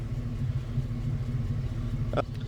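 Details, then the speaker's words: 2006 Chevy 1500 V8 idling after oil pump, pickup tube and O-ring replacement: low steady even rumble, no knocks or ticks; healthy idle, though oil pressure gauge reads about 50 at idle, possibly high-flow pump or bad gauge. "but it is working and it's idling beautifully, so I'd say that's a win."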